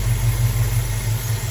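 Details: 1968 Dodge Dart sedan, 360 V8, Edelbrock carb, idling down at only 7° initial timing: steady low V8 idle with even, slightly lazy lope, no misses; still a touch rich, mixture wants only half to 3/4 turn out.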